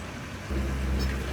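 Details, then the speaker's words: 1989 Sea Ray 340 express cruiser, twin engines, underway on what is reportedly its first trip out of the marina in two to three years: a deep, even rumble with water rush over it, smooth and steady with no misses. "these things run amazing I don't know if you can hear them through the camera all too well but holy moly wow this thing runs great"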